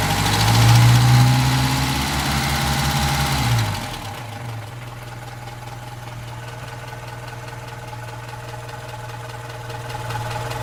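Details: Opel Rekord P1 long-version engine at idle: steady regular clacking about four per second, clear mechanical tick; cause not pinned down.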